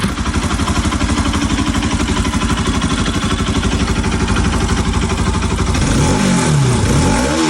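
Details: Bajaj Pulsar RS200/NS200 after timing chain repair: even firing pulses build smoothly as revs rise, no ticking or rattle, no strange noises; healthy.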